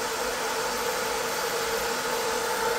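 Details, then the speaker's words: 20 W diode laser engraver module with continuously running top-mounted fan, recorded at a fixed distance, testing added spacers for cooling: steady, even airy fan rush with no rattle, tick or wobble; spacers made no difference to the noise; normal fan noise. "so I don't think that's made any difference to the noise"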